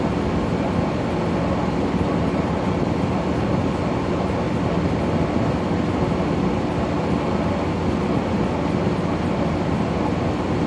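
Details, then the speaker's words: Brand new LG air conditioner in the living room, bought at Home Depot: a constant low groaning rumble under the airflow while cooling, an abnormal "aching" compressor noise; the fan blows fine; cause unclear. "It just makes a little just makes a little aching noise. You hardly notice it. You should just hear the compressor one, and you shouldn't be hearing any aching noises at all."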